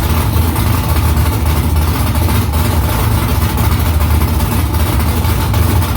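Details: First start after about three weeks of new headers and exhaust conversion, exhaust back under the car. Deep, loping V8 idle with a few throttle blips, heavy low rumble, steady and even. Smoke is from silicone drying around the header. Normal idle and revving.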